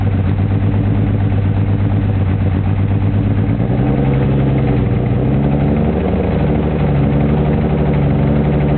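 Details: M3 petrol engine idling and being blipped: lumpy, stuttering exhaust beat that never smooths out; engine misfire.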